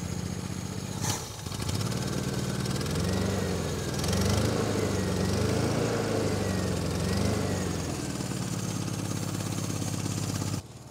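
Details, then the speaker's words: 1987 Toyota Pickup, 22R four-cylinder, 242,000 miles, first start after sitting for years in the woods: the idle is uneven, stumbling and wavering instead of steady. The engine is running rough. "242 000 miles and she doesn't sound healthy by any means"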